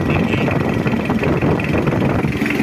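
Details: Mitsubishi L200 Triton diesel after engine overhaul, first start: even, calm idle with steady low rumble, no knock or clatter, engine shake calm, oil reaching cylinder head with normal pressure; healthy engine.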